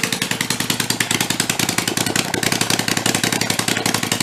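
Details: Rebuilt Kohler Command 20 hp engine, revived after a thrown rod and flood damage, 150 psi compression, refueled and run on the bench: rapid, even popping exhaust beat, no knocks or skipped beats; normal running.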